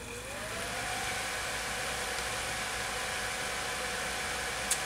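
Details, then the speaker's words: Radeon HD 4350 graphics card cooled by a separate fan placed beside it after its original fan stopped turning; fan spins up from low to high speed, a loud steady whirring rush of air, quite noisy. "now this worked for keeping the graphics card cool it's also quite noisy as you can hear right now that's on its low speed setting on its high speed setting"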